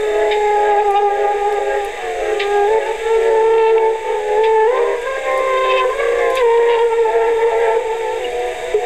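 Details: 1960s Aiwa TP-40R portable 3½-inch rim-drive DC-bias transistor reel-to-reel recorder, leaky electrolytics replaced and bias resistor adjusted: music playback with pitch slowly wavering every few seconds. Wow, i.e. speed irregularity, from the low-quality rim drive.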